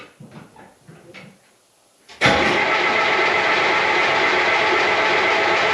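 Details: Gehl skid steer diesel after a rewiring repair: quiet, then a sudden loud, steady roar of cranking without a firing rhythm; it is smoking and needs more glow plug before it fires.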